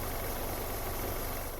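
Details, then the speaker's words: Opel Vectra C, switched from gas (LPG) to petrol: smooth, steady low idle with even firing, no knocks, misses or hunting; runs well for its mileage, normal idle. "uważam że jak na ten przebieg A w ogóle jak na nawet trzy razy mniejszy ten silnik pracuje"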